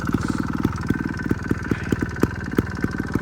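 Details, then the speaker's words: 2011 Sherco 290 ST two-stroke trials bike riding after maintenance, clutch cover gasket resealed with RTV and new linkage bushings: crisp, even popping with steady pulls, no clutch slip or leaks; running normally. "So I'm not leaking anything now. So she's running good."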